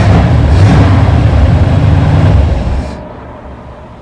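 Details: 1947 Ford street rod V8 with ram horn manifolds after fixing a dead miss: deep, steady rumble with even firing and no dropped beats; all cylinders pulling cleanly.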